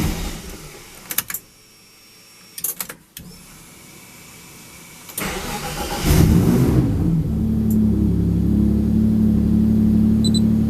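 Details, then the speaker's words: Car after fuel pump and tank refit with 20 litres of fuel, very cold engine awaiting tune: a couple of cranking attempts, catches, flares and settles to steady even idle; good fuel pressure, oil pressure and vacuum, likely rich. "There we go. So we've got good fuel pressure, good oil pressure, good vacuum, and eventually we'll have probably probably very rich mixtures as well."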